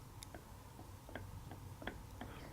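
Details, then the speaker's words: Differential rocked by hand; light, irregular metallic ticks of pinion-to-ring gear backlash; normal backlash, nothing loose. "So if you want to hear a nice, here, this is the backlash. I don't know if you can hear it."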